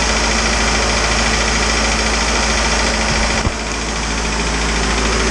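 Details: Isuzu 4BD2T turbo diesel in the Rusty the Spryte build at initial startup: steady idle clatter with an even rhythm around three and a half beats a second, no misses; healthy-running diesel.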